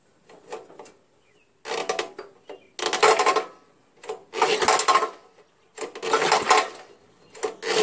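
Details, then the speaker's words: Old Jacobsen Imperial 26 snowblower, 6hp Tecumseh, spark plug found loose: uneven hollow metallic clanking on each recoil pull, like something rolling around inside; owner suspects busted connecting rod, compression still felt. "clanking sound seems funny doesn't it something's rolling around or something"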